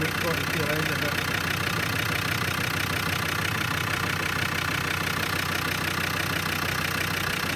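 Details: Land Rover Discovery Series 2 TD5 diesel, after a crank-no-start repair with a brand new sensor: steady, even diesel clatter at a settled idle, no misses or stumbles; engine running cleanly.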